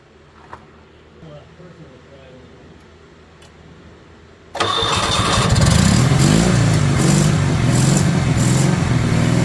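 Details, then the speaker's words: 1970 Honda 600 (N600) sedan engine, first run after carburetor rebuild: fast busy idle around 4,000 rpm that won't drop because the throttle cable is too tight with no play, so the idle screw can't work. "Some people call me up and they go, "Hey, my car won't idle down." Well, it's because your cable's too tight. You got to have some play in it."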